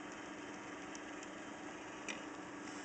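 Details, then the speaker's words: Numechron 765 Plus clock movement fitted with a water softener timer motor, keeping great time: faint steady low hum, smooth and even; the motor is audible but normal. "I'm going to show this video it's keeping great time but you can hear the motor"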